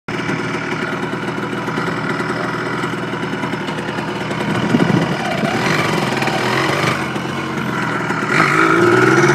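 Crisp, steady two-stroke buzz that picks up cleanly with throttle, no misfire or knocking; the engine runs healthy.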